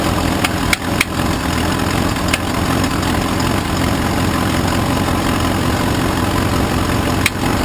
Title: Inconsistent Engine Knocking/Ticking